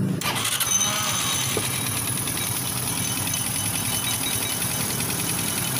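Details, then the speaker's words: Motorstar Well 125 motorcycle with a Dash-type engine: starts and idles with a tinny, bell-like metallic clanging from the top end near the cylinder head; timing chain fine; top-end oil starvation from a failed oil pump drive gear. "cylinder mapansin niyo para may latang tumutunog Ayan oh Okay naman yung timing chain e"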